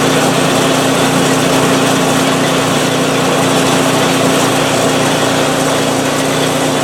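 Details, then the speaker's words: PowerSmart 24-inch snowblower, first start of 2021 after sitting without fuel since 2018: steady, even small-engine drone with constant high hum, no misses or knocks; running cleanly, auger works. "so so she's a runner awesome i don't look forward to using it but hey it just is"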